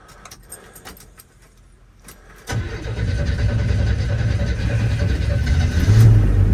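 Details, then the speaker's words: 1981 Chevy C10 cold start just after a spark plug change, with the foot on the gas; one old plug was wet with oil. Weak, quiet cranking for about two seconds, then it fires and runs rough and unsteady; hard cold start. "So I got my foot on it. There it goes. Stops again. Come on. Come on, stay going."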